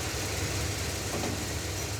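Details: Roadkill car after bleeding combined power steering and hydroboost brakes: steady even low idle rumble, no chatter or whine from steering pump, no bubbles; healthy, though reluctant to take throttle, bad gas suspected.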